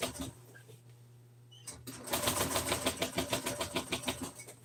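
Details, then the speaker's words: Sewing machine stitching through old hard plastic gives rapid, harsh, strained clattering of about three stitches a second. The needle struggles to punch through, and the owner wonders whether something is binding. The machine is labouring. "Oh, so that's sewing. It don't look bad. But this part right here it does not want to be sewed through. That hard plastic."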